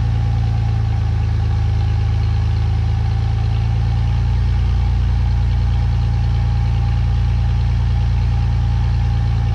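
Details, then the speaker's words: 2017 Ford F150 5.0 V8 after new catalytic converters fitted, air pump and return line removed, a vacuum line plugged. Deep, even V8 burble holding steady with no ticks, rattles or exhaust leak puffs; truck idles normally. "so just went ahead and plugged that up for now let's everything seems to be running decent"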